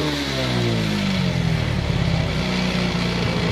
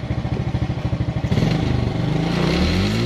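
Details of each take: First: Smash motorcycle with original regulator fitted: small revs with stumbling, uneven beat and spluttering at initial throttle; misfire traced to a battery no longer holding charge. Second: Suzuki Smash with a stumbling, hesitant throttle traced to a bad battery; charging voltage checks about 13.6 V, within range: single-cylinder putters evenly at idle, then revs smoothly and holds steady without misfire. Normal running.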